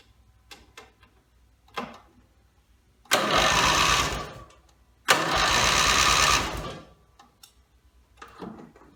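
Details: Rebuilt Briggs & Stratton mower (carb rebuilt and filling, timing dots aligned, valves seated, compression unknown) gives two rasping two-second cranking bursts and never catches; gas later leaked from the muffler bottom, and the owner suspects a fuel-delivery problem.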